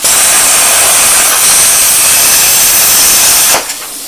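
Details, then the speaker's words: Plasma cutter torch cutting out: a steady, harsh cutting hiss dies after about three and a half seconds with the trigger still held, restarting only when the torch is knocked; the torch trigger switch is the usual fault, fixable by fitting a TIG switch. "so then you start cutting again and it stops and it gets right up your nose so you give it another belt there you go and stops again there's cutting out all the time"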